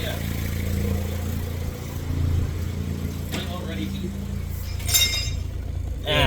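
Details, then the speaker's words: Honda EK with D-series engine idling, almost warm, no OBD2 codes yet: steady low even idle with outside noise; running normally. "But yeah, other than that, she's running. She's running pretty good. Not having any big issues yet."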